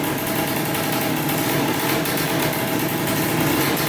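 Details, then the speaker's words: 2003 Polaris Sportsman 90cc two-stroke ATV right after top-end rebuild and new oil pump, premix 40:1 for break-in; started right up, steady even idle with no stumbling, knocking or surging; normal idle. "she runs that's good we have to make sure now the pump is working and uh we should be good to go yeah started right up"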